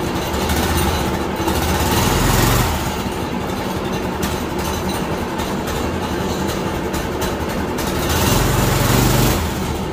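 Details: Predator 212 6.5 hp OHV engine newly swapped into a 1990s Manco Thunderbird minibike, first start and heat cycle on fresh gas and oil: quick, even putter swelling twice on throttle blips, then settling. The new engine runs smoothly.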